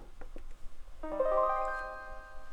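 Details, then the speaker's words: 1984 Suzuki Omnichord OM-84 on bench power after resoldering joints: bright keyboard chord rings clear and steady with no crackle or dropouts; output now clean. "That sounds better. No crackling."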